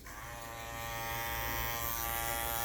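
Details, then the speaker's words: Andis Master cordless hair clipper, not yet oiled, hums at a steady, even pitch with a soft buzz: normal, fairly quiet running. "It's pretty quiet."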